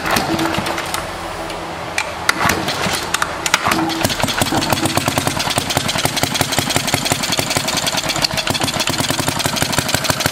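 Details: 1936 Briggs & Stratton WM washing-machine single-cylinder engine just started after compression restored, before ignition upgrade: sharp irregular pops, skipped uneven beats, sputtering misfire; owner suspects the points, coil also looks deformed, unconfirmed.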